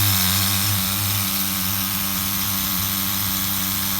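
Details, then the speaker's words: HPI RS4 Nitro RC F150 pickup on 16% nitro after retuning: steady, even high-pitched buzz without surging or dropping; clean idle, though the engine is getting a little hot. "This thing sounds better than it did the first time I bench tuned it."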